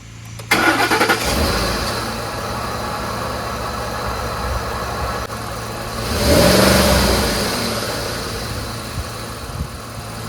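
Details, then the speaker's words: Ford F-150 5.4L V8 after replacing cylinder 5 (bank 2) ignition coil for misfire: clean start, steady even idle, smooth blip with no stumble; misfire and surge seem gone. "what a difference before it was kind of going you know and then as I'm accelerating you can feel a surge it goes like this at some times when I started this up it was much quieter I think we fixed it now"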